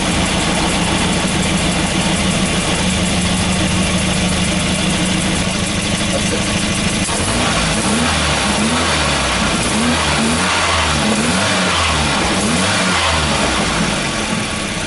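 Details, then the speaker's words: Volvo B230 redblock with rough running and hard starting, after replacing worn-out spark plugs: engine revs over a low uneven rumble with a tinny metallic buzz from a rattling exhaust heat shield. "the rattling you can hear is the exhaust heat shield"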